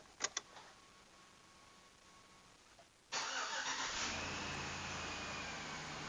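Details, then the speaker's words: Chevy Trailblazer 5.3L V8 after replacing all spark plugs and ignition wires: brief crank, catches at once, steady even idle with no stumble or miss, no engine codes; normal start and idle. "Nice, started right up, nice and strong. No engine codes generating. Sounds great."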